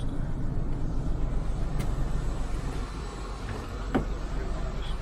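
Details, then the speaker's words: Ford Fairmont (AU Falcon) after fresh transmission oil, started after a spark plug lead had been taken off: low, uneven idle with lumpy beat about four per second, sounding a cylinder short. "I was just thinking that sounded a cylinder short should we try again"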